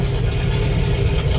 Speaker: Let's see how she runs with no exhaust. It's going to be loud. It's going to be loud.